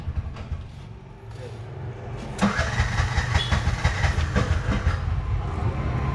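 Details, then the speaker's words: Bajaj BS6 2023 single-plug auto-rickshaw, 10 months old, wouldn't start on CNG and was slow on petrol: after adjustment it cranks, catches and settles into a slightly lumpy idle, expected to smooth out with running. "ಸ್ವಲ್ಪ ಹೊತ್ತು ಓಡಿಸೋದು ಸರೋಗುತ್ತೆ ಅದು. ಸರಿ jam ಆಗಿರೋ ಕಾರಣಕ್ಕೆ ಲೈಟಾಗಿ ಇದಾಗ್ತಾ ಇದೆ. ಇನ್ನೂ ಸ್ವಲ್ಪ ಐಡ್ಲಿಂಗಲ್ಲಿ ಸಮಸ್ಯೆ ಇದೆ."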